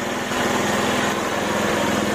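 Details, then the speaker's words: Honda Megapro mono carbureted single-cylinder motorcycle, after fitting an imitation vacuum diaphragm to the vacuum carburetor for hesitant throttle response: quick even idle set too high, corrected by turning the idle screw left; high idle speed. "gasnya kebesaran tinggal kita putar ke kiri kita kecil"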